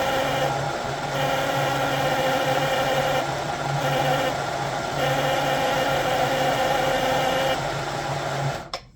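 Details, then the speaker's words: 1958 (owner thinks) Lionel 2383 Santa Fe F3AA locomotive, reassembled with the horn installed and the bottom plate held by hand because of a missing screw: steady, slightly wavering buzzing horn tone for about eight seconds. It works but is rough and needs tuning. "I think it still needs some tuning, but you know, it makes noise."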